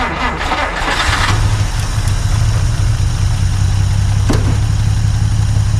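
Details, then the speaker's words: 1950 Dodge Meadowbrook, carburetor primed with gas, started after rewiring connections: brief crank, catches at once and settles into a smooth, even low idle with no knocks or misses; runs pretty good, healthy start and idle. "That sounds like it's running pretty good."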